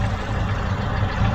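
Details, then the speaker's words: Chevrolet Aveo T250 with added gas equipment, misfiring at idle on petrol with no stored codes: low, lumpy, uneven chug. The injector coil tests intact, but no control pulses reach it with the engine running; misfire from a faulty fuel injector. "але при заведеному двигуні керування форсункою я не побачив тобто повинен блимать світлодіод"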